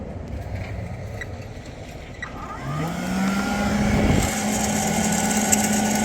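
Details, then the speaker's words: Sparx ES200 skate sharpener (2022 build, about 2.5 years old) cold from vehicle storage (5–8 °C), grinding with 5/8 in disc: motor whirs up slowly to low steady hum, never reaches speed, stalls with code 236; owner suspects cold, unconfirmed. "the motor is really not spinning up the speed so there it is stall and you got the 236 erir code 23 and6"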